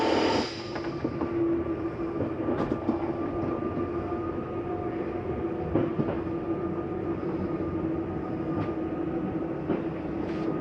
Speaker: slight grinding noise it sounds like not the case it's actually just a mechanism telling you i'm in all the way you can stop